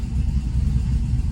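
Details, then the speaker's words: 2016 Chevrolet Camaro, 6.2 LT V8 with DOD delete, at idle: lumpy, uneven low rumble with no steady beat, engine shaking though scanner shows no misfires; lifter failure. "I definitely feel it. It's shaking all over the place."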